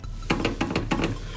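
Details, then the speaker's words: Renault Grand Scenic 3 door rocked when closed: quick rhythmic squeaky creaks, also heard while driving, from the dirty rubber door stop the door presses against; fixed by cleaning it with carburetor cleaner and fitting anti-squeak strip. "Для того, щоб у нас не скрипіло так, нам потрібно ось там є ось спеціальна резинка, яка, коли ми закрили дверку, впирається."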